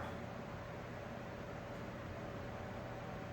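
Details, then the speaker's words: Old Sears table fan after servicing to remove motor creaking, reassembled and running on high. A steady, even hum with a smooth blade whir, no ticking or rubbing, possibly slightly more rpm: normal running. "might have a slightly more RPM actually now it might be a tad bit more powerful than it was before"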